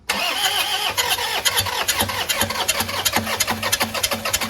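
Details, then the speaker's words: 2010 Toyota Innova 2KD diesel with check-engine light, power loss and sudden stalling, after combustion chamber cleaning, fuel priming and a battery jump; long rhythmic cranking with compression beats, then it finally starts. "ini sudah susah hidupnya karena posisi dari ee ruang bakarnya itu kita lakukan pembersihan. Jadi, jadi membuat dia susah hidup untuk ee mesinnya."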